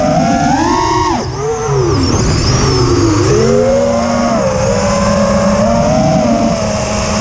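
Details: FPV quad after swapping Littlebee 20A ESCs for TBS Bulletproof 25A (signal cap removed), DShot 600, and updating Betaflight 2.9 to 3.1.0-RC5: rising, falling motor whine with a rough warble in flight; persists despite demag/timing changes, DShot 300 and lowered PID; cause unknown.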